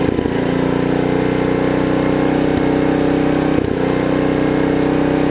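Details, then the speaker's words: Snapper RER rear-engine mower with a suspected failing governor, linkage already adjusted: steady drone that sags and won't climb back to full speed, no longer racing; engine doesn't pick up under load as it should. "Not quite racing like it was. Tell that it doesn't pick it up like it should right there."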